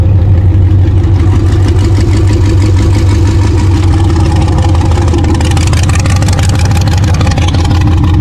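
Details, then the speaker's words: Loose, lumpy low V8 rumble about three beats per second on the 6L engine of an off-road El Camino after racing at King of Hammers. It is dumping oil out the breather and owner thinks it is on its way out. "Well, it is absolutely dumping oil out the breather and down on the ground. And it was not running right. It doesn't look like it's completely blown up, but I think it's on its way out."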